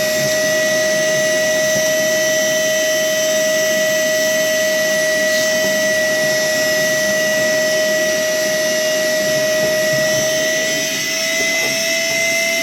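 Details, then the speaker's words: Worx WX031 brushless cordless 20V wet/dry vacuum with its filter clogged by fine dust: steady, high-pitched howl barely changing pitch as the motor strains against no airflow, suction lost. "you can hear it there howling in distress because quite obviously the filter is going to be fairly well popped up which it is"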